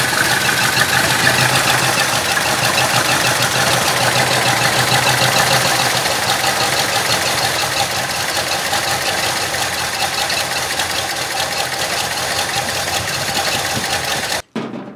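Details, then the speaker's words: 1966 Ford Country Sedan, 390 FE big block with performance cam and used heads: loose uneven chuffing idle with ticking, smooths when revved; timing found at 0°, normally 12°, needs advancing; lazy idle from retarded ignition timing. "Kind of sounds like it could be a little lazy on the timing. I don't know."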